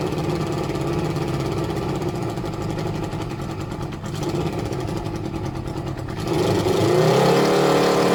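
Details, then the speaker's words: Suzuki ZL600 Eliminator, carbs being synchronised with gauges after hours of carb work; uneven, lumpy idle pulsing, then revs rise; left two carbs far out of balance, banks need balancing to sort idle: rough idle. "both banks are running close to each other, and then that will kind of sort out the idle and the fakeness and all of that stuff."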